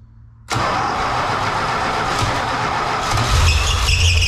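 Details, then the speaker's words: 1966 Plymouth Fury being started after a brake rebuild and coolant fill: engine catches and runs rough, then a high thin squeal rises and holds as the belt slips on the seized alternator; the belt was possibly overtightened. "but the alternator is not kidding that's what the squealing is"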